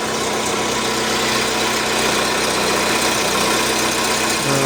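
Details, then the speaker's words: Lada Largus at steady idle, catalytic converter built into the exhaust manifold with its core removed, before repair: loud, hollow exhaust roar with little muffling, a growling noise to be removed; exhaust roar from hollow catalytic converter. "Mana Lada Largus katalizatorini ichi pustoy ta'mirini ko'rsatamiz."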